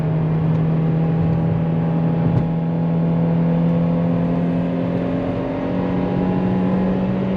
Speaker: Because all I'm hearing currently is just a really happy 2ZZ that likes to run up into those high revs. We're running third gear right now, about 50 miles an hour, 55, which is about 5,000 RPMs, and it's just happy to be do